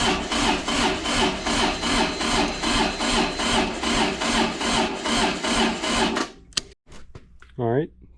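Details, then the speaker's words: Kubota D905 diesel (Lincoln Ranger 300 welder) cold start on a chilly day, glow plugs used, on a jump pack: labored, uneven cranking that never catches, from weak battery supply. "the jump pack let us down so I got the jumper cables hooked up to the durx see if it'll crank now"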